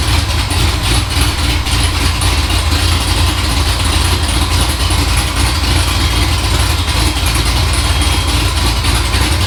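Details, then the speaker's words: 6.0 LSA supercharged V8 swapped into OBS 1500 truck, idle just adjusted: loud, deep, steady idle with a slight rise and fall, surging as it warms with coolant around 185; tune cells unhappy, to revisit in logs. "got the idle sort of adjusted started to surgery as it starts to warm up I can see on the tune certain cells aren't too happy it started to Surge there"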